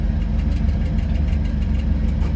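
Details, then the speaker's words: Potterton Promax HE Plus SL condensing regular boiler on an S-plan system with 2 zone valves, heating switched on: a steady, low, grumbling rumble from the circulating pump. The pump bearing is failing and the pump needs replacing. "So you can hear the pump's a bit rumbly. The bearing's going on that pump, so that's going to want changing."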